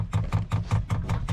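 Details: New diesel heater being installed on an Etap 30 sailing boat, dosing pump priming fuel before the lines are full: loud regular bangs about five a second, each a sharp low thump with a ringing tail; an obnoxiously loud banging pump, may need replacing.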